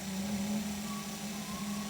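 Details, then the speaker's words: Low-pressure Bosch fuel pump for a 1975 Mercedes 280SL (D-Jetronic), bench-tested on a separate battery and turned to pump uphill: steady electric hum with faint higher whine; runs normally, yet failed to pump when fitted on the car. "I'm going to change the orientation of the pump, so it's now having to work harder and pump uphill. Let's just see if that works. That's still working."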